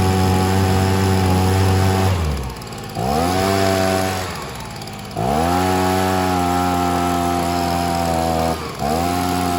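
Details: Stihl SH 55 handheld two-stroke blower/vac, limiter cap still on: pitch sags and recovers every couple of seconds, surging; owner suspects low fuel, though laid flat it still lacks power. Cause not confirmed.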